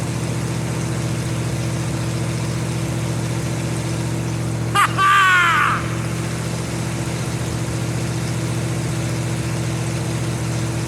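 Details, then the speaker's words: 1952 Ford F-1, first start in 28 years, rebuilt carb, PerTronix ignition, new plugs, after opening choke for more air: steady, even low hum with constant pitch and no stumbles; normal idle. "What I needed was more air, less choke. I got it running! Woo!"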